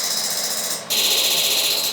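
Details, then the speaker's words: Diesel nitrous controller on dyno, key on, pedal floored, boost safety off: kit 1 solenoid ramps from 20% to 100% duty cycle over 1.5 seconds; fast, even electric buzzing clicks on, holds about a second, cuts off; solenoids cycling normally. "So kit 1, you can hear it. It starts at 20% duty cycle, ramps to 100% duty cycle in a time of 1.5 seconds."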